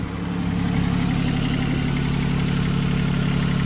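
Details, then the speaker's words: Sailboat diesel engine runs with a steady, even low clatter, about four beats per second, and no stumbling. This is its first successful run after not starting. "That's my engine running. That's my engine running."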